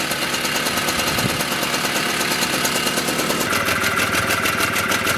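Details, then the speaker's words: Mobylette X1 two-stroke after an engine rebuild, with the drilled-out jet swapped for a good one, warming up. A steady, fast idle with a crisp, even beat and no stumbling or hunting. Runs healthy. "Okay, so this little bike is running very nicely."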